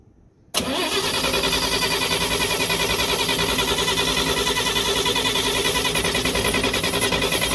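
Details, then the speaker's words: 1950 Chevrolet Fleetline Deluxe straight six, sat 20 years, first run in a long time with new fuel tank, before carburetor rebuild: catches at once, settles to steady even idle with no misses or knocks. "all right first time being ran in a long time and that's idle this thing's happening good that's before we rebuild the carburetor"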